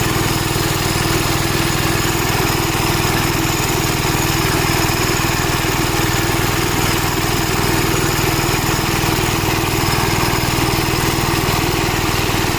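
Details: Gravely Model L tractor with governor, already run earlier, after its blown head gasket was replaced; single cylinder thumps steadily at about four beats a second, even and unbroken. Runs smoothly, though an oil leak remains to be found.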